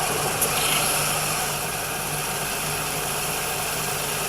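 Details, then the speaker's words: 2000 Chevrolet Cavalier with a recently installed AC compressor, belt going slack when the AC engages: steady idle with a constant whirring drone like a dry bearing. The belt tensioner is suspected to be failing. "I getting some funny sounds which at definitely sounds like a bearing"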